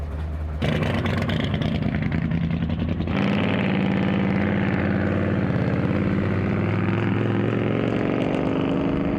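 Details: Drag Week 2024 V8 in street mode fires up and then falls into a lumpy, stumbling idle with a dead cylinder, popping out the exhaust and running hot.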